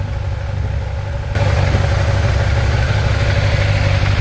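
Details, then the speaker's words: Kawasaki ZZR 1100 inline-four after two months of crash repairs with exhaust refitted, a few parts still missing: engine steps up and settles into a steady, even idle with deep regular exhaust note, no knocking; healthy idle. "but oh, we're so close. The sound of heaven."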